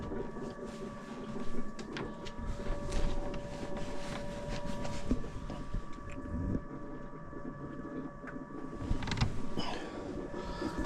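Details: Motorhome fresh-water pump, system unused for years, after clearing the airlock; steady low buzzing hum with faint creaks and water movement, running normally, fault was the airlock.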